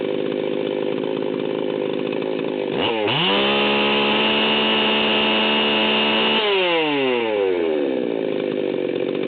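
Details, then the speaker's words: Stihl 038 Magnum chainsaw, fully assembled, at high idle/full throttle: snaps up to a steady scream with a slightly burbling, blubbery edge, then winds down, about 14,000 rpm; high-speed mixture set super rich, deliberately, for break-in. "you can hear that this thing is running about 14 1 and it's running super rich"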